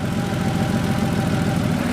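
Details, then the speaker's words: Porsche 3.2 Carrera flat-six after base idle adjustment screw turned about four and a half turns down from 900+: smooth, even low rumble at steady 800 rpm, no hunting or misses; idle fixed, correct for this car. "there we go idle right at 800. that's where it should be"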